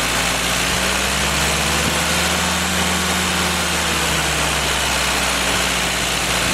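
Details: Freshly rebuilt Willys F-134 F-head engine on a stand, first start for break-in, fired right up: even, steady smooth low idle under a loud cooling fan, no misses or knocks; normal idle.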